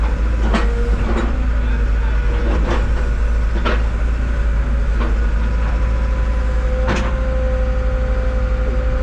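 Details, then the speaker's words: Cat 313 GC forestry-package excavator at auction (about 45°F outside), about 500 hours: steady hydraulic drone with irregular sharp knocks, pump not running smoothly; uneven hydraulic pump noise, cause unclear. "yeah it does it does sound got an awful not quite smooth with it could be cold but it ain't that cold"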